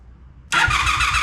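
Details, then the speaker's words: 2002 Honda Magna VF750C after fitting a new battery: quiet, then it catches at once and settles into an even, lively idle, a normal first-try start that confirms the earlier no-start was caused by a bad battery. "oh, okay, it was a battery, guys. It was a battery."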